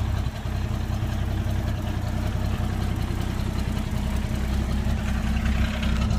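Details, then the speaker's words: Toyota Land Cruiser FJ60 beach vehicle just started: steady, even low rumble at idle with no knocks, misses or hunting; idles smoothly and sounds healthy. "and it does start and it sounds healthy too wow she does start"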